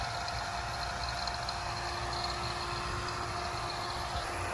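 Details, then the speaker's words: Vacuum pump pulling down a Pioneer mini-split line set, moisture coming out and gauge reaching 29: steady even rushing drone with faint constant tone, no knocking or surging; normal running. "That's your moisture coming out of your system. That'll go clear in a couple minutes, indicating that the moisture is coming out of the system."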